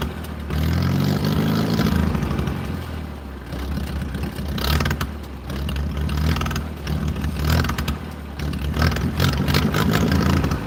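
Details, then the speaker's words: 1940s wood splitter with an International Cub engine, cold start at about 50s °F with an aftermarket carburetor: low chugging beat rising and sagging as the choke is finessed until warm. Cold engine running on choke. "I have to tweak the choke. And it's not just push the choke all the way in. We got to we got to finesse it until it's warmed up and happy."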